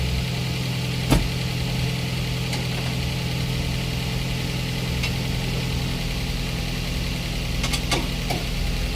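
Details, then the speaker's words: Daihatsu Gran Max 1.3 after engine overhaul for lost compression: steady, even, smooth idle with no knocks or misses; radiator fan cycles on then off, showing normal temperature; excellent result. "Kipas radiator putar kemudian mati sebagai tanda perputaran suhu normal. Hasil istimewa."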